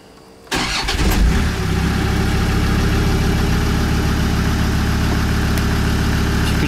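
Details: Land Rover Discovery 2 diesel just after injector loom replacement, with a check for misfire and leaks at the new plug. A short crank and quick catch, then an even, steady idle with no stumble. Definitely no misfire: normal start and idle.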